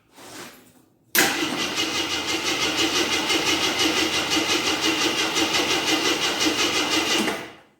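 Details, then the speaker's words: 1983 Jeep Scrambler barn find, sat 4–5 years, good spark confirmed, battery charged: starter cranks at a steady even chug for about six seconds but never catches; no gas reaching it, tank apparently empty. "looks like we are not getting no gas oh maybe I should put some gas in there see what happens"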